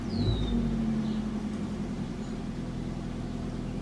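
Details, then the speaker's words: 1987 Toyota Camry LE, 4-cylinder automatic, shot motor mounts: engine settles into a steady, noticeably high, even hum with no misses, idling faster than it should; cause unknown. "yeah it's got no motor mounts but you don't need those see it seems to idle fast"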